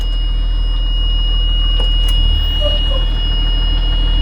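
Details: Blue Bird school bus with an Allison transmission that had been stuck in second gear, diesel idling after a new transmission control module was fitted: a continuous high-pitched warning buzz. The module is not yet programmed, and the check-trans light is on.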